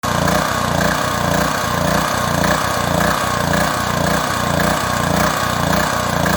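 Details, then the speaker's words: Proforce Powermate 2500 watt generator small engine surging, speed rising and falling about twice a second; carburetor removed for cleaning, clogged pilot jet blamed. "all right so as you can see in the opening video there this generator has a bit of a surging problem it's a pro force power mate uh 2500 watt so this would apply to pretty much all small engines pressure washer things like that"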